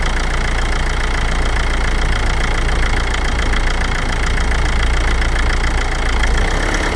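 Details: 2006 Toyota Avensis with 1AD-FTV diesel engine at low revs under load: coarse, repetitive knocking over the engine note; cause still unknown.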